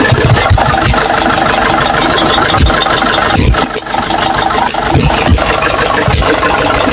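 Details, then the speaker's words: Nissan Patrol 4x4 3.0L 2D30 diesel after top overhaul and valve setting to fix misfire and valve leak, started from cold: loud, steady diesel clatter at idle with an even beat and no misses, running smoothly. "So ito steady na makina niya kahit mo i"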